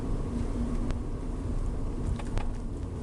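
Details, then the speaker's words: 2022 Renault Zoe (NE11) after suspension repair, driven on the same dirt road: only steady low road rumble, no knocks or clunks over bumps; earlier knock on every pothole is gone, suspension quiet. "так як потрібно і ніяких шумів Я не чую стуку ніяких стуків ніяких грюків"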